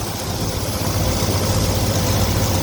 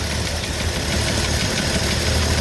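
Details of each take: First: 1982 Ford F-150 after new carburetor, new valve cover, new fuel pump and valve adjustment: steady, even low rumble at idle with no top-end ticking or tapping; running smoothly, normal idle. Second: 1982 Ford F-150 with newly installed carburetor, after initial adjustments: lumpy, uneven idle with irregular low thumps and shaking; owner notes a vacuum line needing repair and two unconnected vacuum lines, cause unconfirmed; rough idle.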